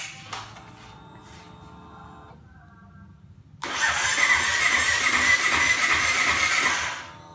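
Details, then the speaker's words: Honda CBR250RR that won't start: the starter spins steadily for about three seconds with a busy whirr but never fires. The indicator lamp goes out when the starter is released; owner has pinned it on the spark plug. "Guys ini Kebetulan sudah saya pastikan ini busi karena ketika kita starter ketika kita on-kan lampu indikator Mi tidak ada ketika kita starter dia hidup lampu indikator Mila ketika Udah lepas starter dia akan mati lagi"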